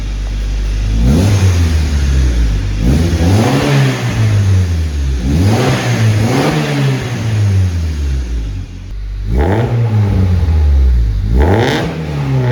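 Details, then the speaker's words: Turbo Honda Civic with Hunter Tuned 1000cc injectors, Bullboost intake manifold, aftermarket throttle body, anti-lag basemap, 93 octane and Tanabe Medallion catback. Clean revs under a deep, very quiet exhaust with the turbo audible. Normal revving. "So I don't know about you guys, but that's really, really quiet, and that would be really good for a sleeper build."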